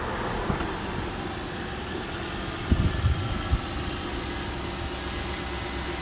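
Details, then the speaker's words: 2009 Lexus GX470, hood open at idle with AC compressor off and heater off: thin steady high-pitched squeak over smooth idle; engine bay squeal, source unknown. "All right. So, the compressor is off cuz I don't have the AC or the heater on and it's making that squeaking sound."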